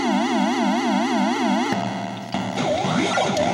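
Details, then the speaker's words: Gorf arcade game board: warbling synth siren sweeping up and down about four times a second, then jumbled electronic game noises. The audio circuit works normally, while a bad custom chip puts out junk that corrupts the graphics. "So, the audio part's working right, but there's something with that custom that's putting out junk, you know what I mean? That's screwing up the graphics."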